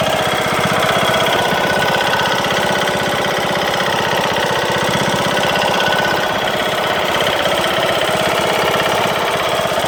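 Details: Craftsman LT2000 mower, Briggs & Stratton engine, after replacing broken camshaft and timing gear: runs steadily with loud hard knock about four beats a second, cause unknown.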